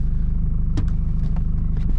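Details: 2005 Jeep Liberty KJ CRD at highway speed before front hub and bearing replacement, cab noise meter reading about 50–71 dB: a steady low drone under the road rumble with no rhythm or knock. Worn front wheel bearings roaring.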